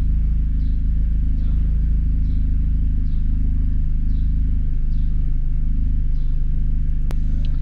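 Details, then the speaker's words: Seat Leon Cupra 2.0 TFSI after fixing a cylinder 1 misfire (P0301), codes now clear: deep, even idle rumble with steady beat, no stumbles or dropouts; engine idling smoothly. "Şimdi sorun çözüldü Tabii ayet araç gayet güzel çalışıyor Herhangi bir sıkıntı yok"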